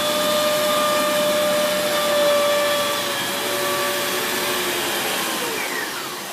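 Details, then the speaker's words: Dyson Big Ball Animal (CY23) cylinder vacuum, three months old, turbo brush head, pulled backwards: rushing roar with a loud high whistle from air leaking at a hose joint. "So if you notice that when I pulled it backwards, there was that loud whistling noise, like a. And that noise was basically the noise that it's making where it's leaking from that joint here."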